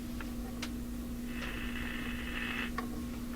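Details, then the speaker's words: Addison 5-tube radio after several failed fixes, just put back in its cabinet; steady low hum at one pitch under faint clicks, audible from 5-6 feet away, cause still not found. "so there's a hum there, and you know, I can stand 5-6 feet away from the radio and hear it."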